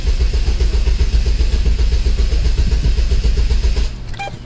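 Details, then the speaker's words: 2003 Chevrolet Cavalier 2.2L Ecotec supercharged 5-speed with a no-crank, click-only complaint: the starter is load-tested with a current probe. Cranking is steady and even at about four beats a second with no dragging or clicking. The starter is fine. "and look at that guys i don't see a problem with this starter at all see that it's all even you don't have like you would see like all this hash in the way for but we are good"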